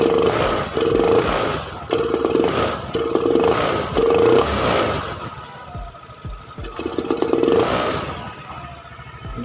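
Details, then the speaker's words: Honda Beat FI scooter, unresolved after three shops; throttle-body and fuel-pump parts swapped, EOT sensor, spark plug, injector changed, no MIL codes; repeated snap throttle blips rise unevenly and sag, fine when rolled on gradually: hesitation on snap throttle. "nih motor ketika direspon banget nggak mau atau ngok ya itu udah kelihatan tadi ya seperti itu dan masalah motor ini udah di oplos masih nggak ada perbedaannya"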